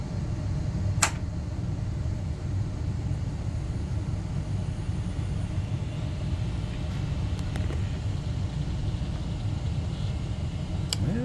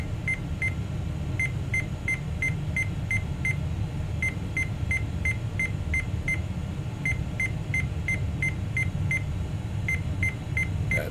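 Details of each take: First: Rescued 486 tower with Intel i486 DX2, previously giving AMI 3- and 8-beep codes, turbo off: steady low fan hum, a couple of faint clicks, no beeps, display signal and cursor appear. Normal POST, no beep codes. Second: Tower PC with Intel i486 DX2 and American Megatrends BIOS, booted with turbo engaged; short, sharp, high beeps repeat steadily over a low fan hum: AMI seven-beep POST error.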